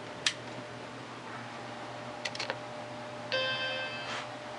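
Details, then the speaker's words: Apple Macintosh Portable during restoration, running from a 7.5 V 2 A supply backed up by a 6 V 1 A adapter in place of the secondary battery: old Conner hard drive spins up with a faint steady whine and crisp seek clicks, booting normally. "hear that old Connor hard drive spinning up and there we"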